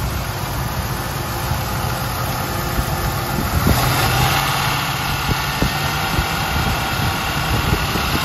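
Steady V8 idle with a light, fairly quick tapping, about three a second, riding over the rumble; source of the tap not pinned down.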